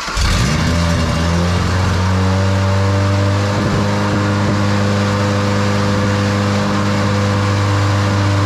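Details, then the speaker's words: 1977 Ford Pinto wagon with 2.3 L EFI engine from a 93 Mustang, hyperfuel pump, ignition and pump on manual switch, first start beyond starting fluid; catches, climbs and holds a steady high fast idle; idle not regulating, owner suspects idle air control. "it runs that grabing way too high yeah it's too high it'll figure it out or I'll figure it out"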